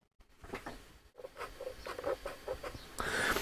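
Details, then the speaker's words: Roberts R707 radio: faint, irregular scratchy rubbing as a knob turns, the knob dragging on the dial plate; grommets need tightening to lift the knob clear. "So it sounds like the grommets need tightening up to bring that knob upwards a bit to take it off of the dial plate."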